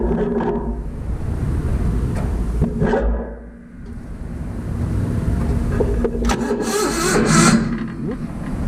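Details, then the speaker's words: Vintage Hydra-Mac mini skid steer with a worn starter button. The starter turns the engine over in uneven bursts with pauses between tries, but it never fires. It cranks but won't start; the cause is not yet known. "We know it turns over now. It's kind of cool."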